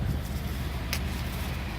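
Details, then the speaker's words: 1990 Dodge Ram van revived after about three years unseen; low steady even rumble, quiet idle with no knocks or ticks, motor runs as well as ever; power steering belt loose and needing tightening; normal idle. "like I said the motor runs as good as it ever did you hear it's quiet"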